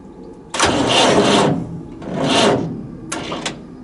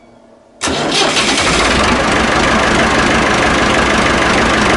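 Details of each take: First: Massey Ferguson 1080 tractor (scrap non-runner with battery and electrical problems); three short, slow, labouring cranking bursts without firing. Starter leads get hot and can't carry enough current; a bigger battery and direct earth are planned next. Slow cranking. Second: Massey Ferguson 1080 tractor, bought as a scrap non-runner, now restarted; it catches almost instantly and settles into a smooth, even diesel clatter with no knocks or misses, better than expected. Normal start and idle.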